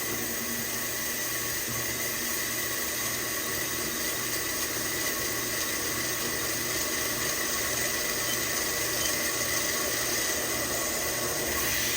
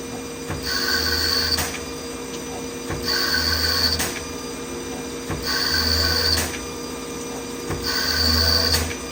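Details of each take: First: CNC lathe chambering a barrel, converting a Tikka 6.5 Creedmoor to 22 Creedmoor, slow first peck feeding in 500 thou with coolant raised: steady coolant hiss over an even cutting hum, no squeal or stutter; chatter-free cut. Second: CNC lathe threading a Tikka 22 Creedmoor barrel at 1,000 RPM, 20 passes then a skim pass: regular passes about every 2.5 seconds, each with a high ringing squeal over spindle hum; light threading chatter, judged not a big deal.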